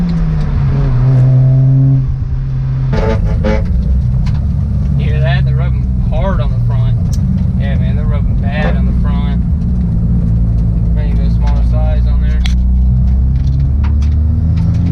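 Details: Mazda RX-7 FD rotary engine after plugging a disconnected part back in: a steady, deep drone with slight lumpy pulsing under light throttle, running even and clean with no misfire or popping, much better than before.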